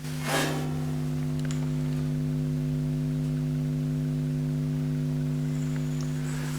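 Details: Marshall JTM45 amp with its output transformer mounted close to the mains transformer. A constant low mains hum of fixed pitch, unaffected by the standby switch, the volume controls or whether the valves are fitted: the output transformer is picking up hum from the mains transformer.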